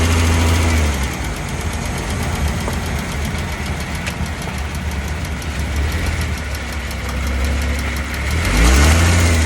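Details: Dodge Caravan / Chrysler Town & Country driving: deep engine drone with a rough raspy grinding flutter swelling and easing with speed, recorded by a phone taped near the worn exhaust flex pipe after the catalytic converter.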